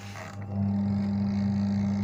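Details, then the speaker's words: Twin-tub washing machine (trade-in, owner's complaint: humming) plugged in and timer turned: steady low electrical hum, motor doesn't spin. "Ya, ada suara dengung, nggak muter ya. Yang ini juga sama dengung."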